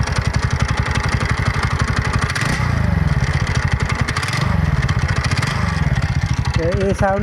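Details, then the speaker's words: TVS NTorq XP BS6 scooter idling with a hard, chattering clatter on every firing pulse over the exhaust; cause is a loose starter (self) bearing nut. "बारी self bearing नके नट loose हो कारण आवाज होते timing change आवाज ना self bearing नट loose आवाज तो धुलाई खुले"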